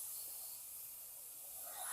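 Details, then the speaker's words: Harbor Freight 3-gallon oilless 100 PSI air compressor: thin steady high hiss, rising at the end, of air leaking from a bent pipe fitting; nothing mechanical underneath. "okay now you can hear it's leaking I don't know if you can but I can definitely hear it okay and we are leaking air from right up here"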